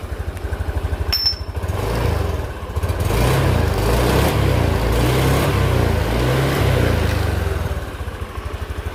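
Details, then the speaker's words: Honda Beat 2020 single-cylinder scooter (oil had blown into air filter, wouldn't start) after replacing dirty fuel pump filter and faulty TPS sensor: even low putter at idle, revs up smoothly and settles back, no knocks or rattles; normal running. "Kita tes dulu ya. Oke, mantep ya, suaranya halus."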